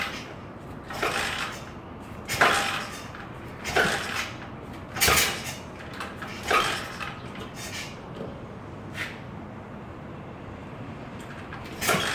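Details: SSR 110cc four-stroke four-gear pit bike after carb clean, oil change, fresh gas and spark plug cleaning: repeated kick-start strokes every second and a half, brief clatter, never fires; no-start, cause unknown.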